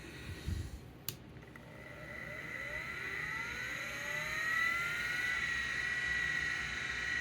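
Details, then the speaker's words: Hard drive from a Macintosh SE/30 being restored: the platters spin up with rising whines and settle to a steady high tone, but no head seek clicks follow. The actuator is frozen, and the owner suspects a seized bearing. "nope actuator is not moving oh it's frozen well that'll do it"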